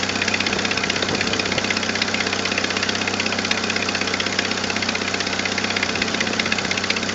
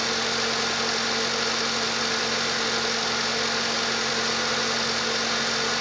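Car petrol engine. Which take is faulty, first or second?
first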